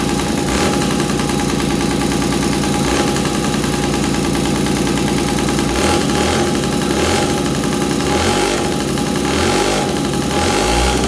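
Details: 1983 Honda QR50, unrestored 49cc oil-injected single-cylinder two-stroke: rough crackling, uneven idle on choke with a few short revs; runs but unsteady, possibly with a bolt missing letting in extra air.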